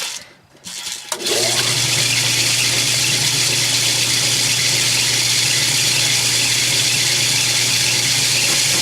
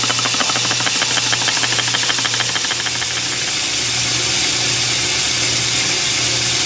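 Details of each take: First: Lathe machining a steam engine cylinder with a high-speed steel tool, reground to a radius and run at a slower speed. Steady, even cutting hiss over a low spindle hum, no chatter or stalling; cutting cleanly. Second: Lathe boring a steam engine cylinder with a high-speed steel bit on a boring bar with long stick-out. Steady hissing rasp with a low hum and fast pulsing rub, no clean cutting; the bit seems to be rounding off and won't cut.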